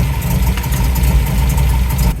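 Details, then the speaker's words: 1971 MGB GT, reportedly 18,000 miles, after ignition timing reset and carburettor fettling: even, low burble at idle with no misfire or hunting; drives, picks up and stops well, idling really nice. "After the timing and all the issues we found in the carbs, it's driving pretty well actually. It goes, it picks up, it stops, it's idling really nice."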